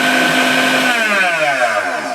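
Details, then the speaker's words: Tribest Dynapro DPS-2250 commercial vacuum blender, variable speed knob at low setting, 5-second timed cycle: steady high motor whir for a few seconds, then pitch sags as it shuts itself off; runs smoothly, normal. "So say you want to run it on low speed, you could just keep it on one LED lit up, press the button, it'll run on low speed for just simply 5 seconds"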